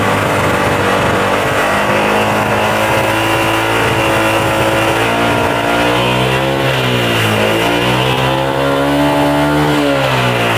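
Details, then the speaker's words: Yamaha Jupiter MX 135 single-cylinder, after refilling engine oil that had run dry: revs up and down, smoke worse, rough dull internal knock under smoother note, quieter than before but still present; worn piston slapping in the bore. "Oke Setelah diisi oli malah di sini tambah barangnya Mas Bro jadi fix Ya di sini untuk bagian pistolnya kena kalau kita lihat suaranya sekarang agak mendingan halus Mas Bro Jadi nggak terlalu kasar tapi tetap ada bunyi kalau di bagian dalamnya"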